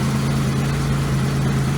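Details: Low, steady idle hum with an even beat and no knocks or stumbles from a barn car started after sitting about 3 years; engine idling cleanly and healthy.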